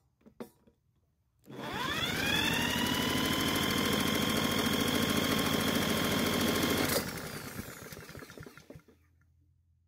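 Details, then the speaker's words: Blackmax mower, compression 182 PSI: drill spins the engine over with an even puffing beat but it never fires; owner suspects lost spark, apparently a faulty aftermarket spark plug sparking on the side of the electrode. "even using the drill to try and start it didn't help the only thing that's left is that somehow we lost Spark from the ignition system"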